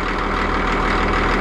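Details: Cat D6D dozer, late 70s/early 80s, diesel warming up at low even idle, steady and smooth, no knocks or misses; a leaking hydraulic hose suspected, oil later found on exhaust manifold. Normal idle.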